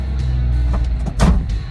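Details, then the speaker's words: Jeep WJ Grand Cherokee just after stock coil pack replaced with Viper Coil Mod, spark plugs unchanged: steady even low idle rumble with no misses or stumbles; idling well. "All right, so it's idling good. That feels really good."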